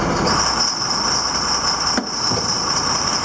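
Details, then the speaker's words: Baler after advancing the stuffer one tooth relative to the plunger: a steady high-pitched squeal rides over a faint machine run from start-up; odd noise, cause unclear. "That sounded weird."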